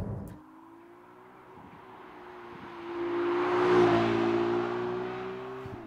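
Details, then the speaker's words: Ferrari 296 GTB V6 hybrid in full electric mode at 28 mph: quiet electric drive with a low, steady tyre roar that swells as the car rolls; excessive road noise present all the time, tyre roar or something else, source uncertain. "It's quite noisy, isn't it? First off, we've got a lot of road noise coming through, either tyre roar or something else, I just don't know, but it's there all the time."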